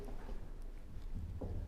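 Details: Front anti-roll bar bushing on a Volvo XC90, checked on a lift with the stabilizer links disconnected: dull low knocks in irregular bursts as the bar is worked by hand, one side only, with visible play; the bushing is worn.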